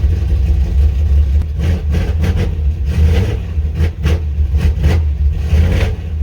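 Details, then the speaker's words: 1985 Chevy C10, 350 short block with ZZ4 heads and cam, 700R4, long-tube headers, worn Holley 750 double pumper, cold start: deep V8 rumble surging and sagging as throttle opens; off-idle stumble, owner suspects jetting. "it's always got that stumbling i'm sure that stumble has a little bit to do with the jet and also but it shouldn't be this bad"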